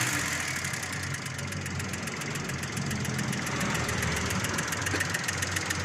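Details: Volkswagen Polo engine at idle: light, fast top-end ticking that keeps time with engine speed; noise appeared after a part was replaced, source not pinned down.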